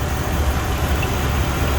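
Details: 2006 Jeep Commander 4.7L just after water pump replacement, idling while cooling system burps; steady low even rumble, no knocks or squeals; normal idle.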